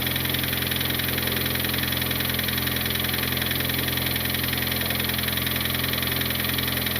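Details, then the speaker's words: Turbo R18 Honda Civic engine after blowing it, valve lash checked: steady idle with a sharp, regular internal knock about 3.5 per second keeping time with the engine; cause unknown. "I definitely still hear knocking. Now I'm hearing the knocking more on like 3 or 4 actually."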